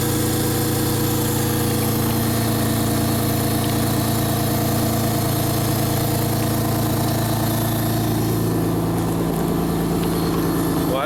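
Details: 1999 Honda Accord V6, nearly 280,000 miles, restarted after two weeks down, warming up; smooth even idle, steady low beat, no misses, knocks or rattles, oil leaks noted; normal idle.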